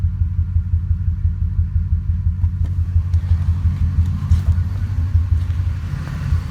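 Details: Ford 5.4 2V V8 truck, intermittent for 3 months, earlier bank 2 misfire, coil pack replaced and injector cleaner used, no codes, shakes especially in drive: deep, uneven lope with pulses stumbling now and then; rough idle with suspected intermittent misfire.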